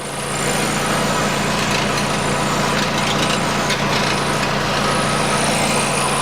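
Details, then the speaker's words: 2008 Nissan Qashqai 2.0 petrol CVT 4WD, 123,000 km, idling: tinny, buzzing, whistling rattle from underneath; loose exhaust heat shield on the resonator whose mounting has rusted through. "я примерно предполагаю что это экран на глушителе но сейчас посмотрю вам убежусь"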